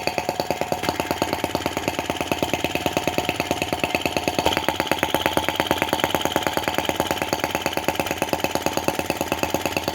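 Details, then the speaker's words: Brass half-tracked Lanz-type T16B model tractor on its first run. A slow, steady popping beat of about three firing pulses a second with light mechanical clatter. The slow revving is even and healthy: normal. "I'm pretty happy with that already. Really happy with the slow revving."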